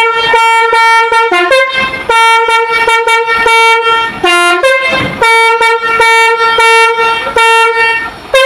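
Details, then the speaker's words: Truck's basuri multi-tone horn, taken from a used truck and tested, plays a limping, uneven tune with notes missing because one horn unit is broken; the dead unit can simply be removed. "jadi ini suaranya pincang ya karena ini ada rusak satu ini"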